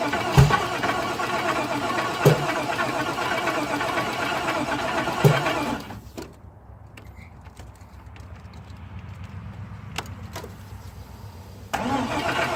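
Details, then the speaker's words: Caprice after teardown to short block, fuel-washed oil changed, reassembled without intake: starter cranks steadily about six seconds but engine never fires; cause unknown, new spark plugs next. "the only thing not on is the intake but everything else is hooked up and I'm still not getting anything I don't know what to think but I'll let you listen to it too so"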